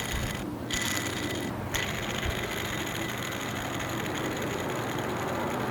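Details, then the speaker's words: Tensioner pulley off car, hand-spun: steady gritty whir with thin high whistle from worn bearing that should be silent; spins freely; caused high-pitched whirring while driving, fixed by replacement. "as this pulley spins it should be completely silent because there should be almost no play between the bearings and the bearing surfaces that they ride on but this bearing sounds like this"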